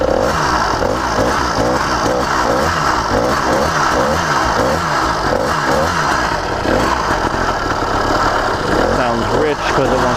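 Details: Brand-new CDH110 two-stroke (110cc, true 85cc, 52mm iron sleeve) on a motorized bicycle, very first start: uneven, chugging beat at low speed that keeps stumbling as if about to die; running rich.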